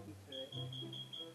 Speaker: the carbon monoxide detector has started going off in our house now great